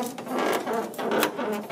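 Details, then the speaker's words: 1977 Pontiac Trans Am body rocked back and forth, giving repeated dry creaks and groans; rocker-to-floor seam left unattached by previous shop, flexing between rocker, floor and frame mounts. "creaking. That's what I heard just from standing up here and like moving the car back and forth. And I was standing inside it too, and I could hear it creaking, so I knew something was not right."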